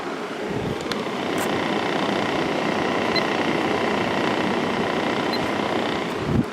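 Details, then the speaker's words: 1995 Kenmore 5,450 BTU window air conditioner (Sanyo compressor), fan only on high with the thermostat turned up so the compressor stays off: the GE PSC fan motor runs with an even airflow rush and faint hum, drawing 0.44 A and 54 W, normal. "go to high and we are pulling 44 amps 54 Watts very efficient motor especially compared to the other two which are shaded pole"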